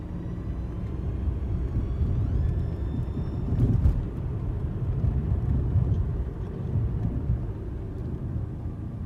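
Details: 2012 Hyundai Elantra driving: thin high whine over road rumble, rising with speed, when accelerating and decelerating up to about 25 mph; lasted a few days then went away; owner suspected transmission but shifting fine.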